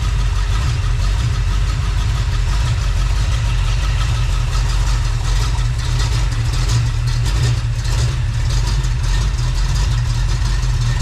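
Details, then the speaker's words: Freshly rebuilt small-block Chevy 350 (roughly 355) on its first run, not yet warm: a steady, even low burble around 750 rpm with no knocks, misses or ticks. Normal idle. "t that fantastic idling in about 750"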